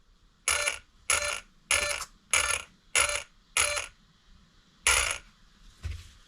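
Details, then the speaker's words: Arrma Fireteam 6S RC car during Basherqueen and EXB Mojave chassis rebuild, powered up to center the steering servo before fitting the horn: seven crisp high-pitched buzzing sweeps about half a second apart, clean and equal; steering servo working normally. "and then you can hear the steering working, and we just need to make sure this is aligned."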